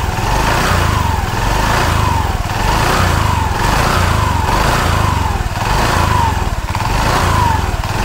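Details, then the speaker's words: Automatic scooter running with CVT cover removed, one centre bolt left: loose uneven rattle surging with each throttle blip as the centre shaft wobbles off-centre, from a worn bushing in the CVT cover bearing. "untuk as yang paling tengah ini ya pas begitu di gas yang paling terkenal ini agak bergoyang ya bergoyang ke agak apa koplak dan untuk setengah ini ya pas di gas awal itu posisi as Tengah ini nggak senter ya dia bergerak kayak gini apa bahasanya spellank awal itu setengahnya seperti ini suara berisiknya"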